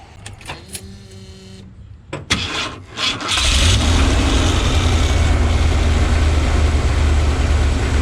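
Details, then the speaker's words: Ford RV V8 after replacing all eight injectors, Accel coil, MAP sensor, plugs, cap, rotor and wires: a few clicks, a brief crank and catch, then a deep, steady, even idle without misses. Timing is probably still a few degrees off, causing slightly hard starting. Normal idle. "that does sound a lot better i do have to set the timing on it that's why it was a little hard starting right there"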